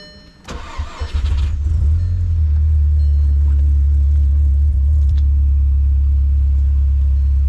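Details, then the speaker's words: Cold start, said to be better than the pickup: quick crank and catch, then steady, deep, even high idle with no misses, ticks or rattles. "So let's hear it start up, because the cold start on this is a lot better than the pickup truck."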